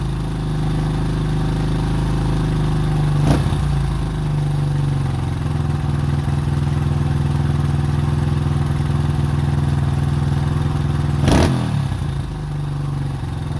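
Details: 2005 Honda CRF150F (California street-legal) small single, after a valve adjustment and carburetor tune-up for a no-start with low compression; it had previously run very high without idling. Carb being adjusted here; holds a steady, even idle with a couple of brief blips. Sounds healthy.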